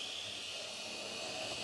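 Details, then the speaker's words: Old Ringfield tender-driven model loco motor jerking into life, then a steady piercing high-pitched squeal over a thin motor whirr, no knocking; pinion paint marks show no slipping, so the cause lies elsewhere. "oh there goes jerking into life and already you can hear it start to squeal"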